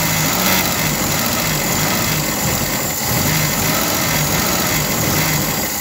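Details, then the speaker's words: VW Golf MK1 1.8-litre after cleaning filthy plugs, reconnecting the ignition wire to the starter solenoid and retarding the timing 1–2 degrees: steady, even idle under heavy wind hiss with no misses or knocks. It now starts and runs great. "And in between you remember we've cleaned the plugs that was totally filthy and uh between the two it start now up. So this is now very very good news and it run great."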